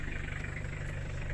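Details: 5L HiLux diesel just after rocker cover gasket replacement, insulation removed, first start after 2–3 weeks sitting, glow plugs used; steady, even diesel clatter with smooth low rumble and no irregular knocks; normal, healthy idle.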